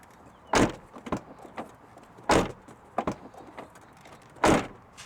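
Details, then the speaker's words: Lexus GX460 cargo hatch after fitting a silicone license plate frame: three solid dull slams, each ending clean with no metallic buzz or rattle. Plate rattle fixed. "dead silent guys do I do not hear any metal rattling at all and I feel a lot more confident that this is not going to scratch up my paint job every time my girlfriend or my wife slams the cargo door"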